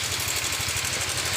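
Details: Yamaha Fino 125 automatic scooter at idle from start-up: light, quick ticking on the low engine beat, heard from both sides; suspected worn automatic cam chain tensioner or CVT fault.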